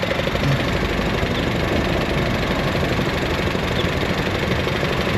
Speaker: Hear that? That's the purge valve cycling.